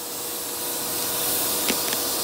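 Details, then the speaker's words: Shop vacuum clearing a clogged kitchen sink vent pipe through a copper pipe: steady rushing suction hiss with sharp rattles as debris is pulled through the hose; the clog is clearing. "yeah you're sucking them up man they're coming through i can hear i'm going through the hose oh yeah listen to that"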